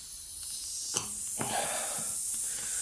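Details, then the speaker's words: Air hissing steadily out of a nail puncture in a car tire as the nail is pried out with a flathead screwdriver before plugging; a thin, steady, high sizzling hiss under light handling noises. Tire puncture air leak. "probably can hear it sizzling out"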